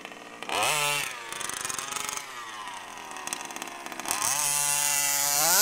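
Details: HPI Baja SS RC car with Zenoah G320 two-stroke and V2 Dominator exhaust, rebuilt from a junker, on 91-octane ethanol-free fuel with Bel-Ray oil at 32:1; sharp rising screaming revs with a thin high-end note while setting the high-speed needle, running slightly lean (later corrected).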